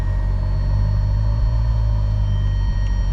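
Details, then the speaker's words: Ferrari FF cold start after fitting an Antigravity lithium battery: deep, steady low rumble under the cold-start idle as it comes off cold-start valve, nothing sharper, still present after the battery swap. Cold-start rumble, cause unclear. "see if it still does that Rumble when it goes from cold starts of valve yeah still rumbling a little"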